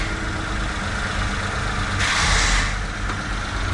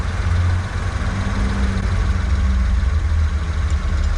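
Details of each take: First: Kei truck at idle during a level 1 inspection after idle speed adjustment (had been too low, then too high); small engine holds a steady, even idle with a brief air hiss, now correctly set: normal idle. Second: Japanese kei truck during inspection, idle previously set for altitude in Japan: slow lumpy low-pitched idle with heavy pulse; idle too low, being adjusted.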